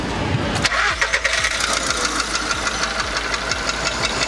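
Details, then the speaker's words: Skoda Fabia 1.6 CFNA at cold idle, with no fault codes stored: a sharp, regular knock about four times a second. Piston knock is suspected, and the cylinders are to be checked by endoscope. "А, ну очевиден, что-то явно постукивает. Ну, сейчас будет, как я предполагал, например, это поршневая. Явно звук поршневой."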